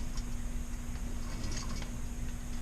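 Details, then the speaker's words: Front hub of a Ford Super Duty with almost 260,000 miles, wheel off and brake pads removed: rough gritty rumble with scattered irregular clicks from worn hub bearings; hubs and outer seals replaced. "you guys can definitely I think you can probably hear those bearings in there sounds like a few of them in there causing a ruckus"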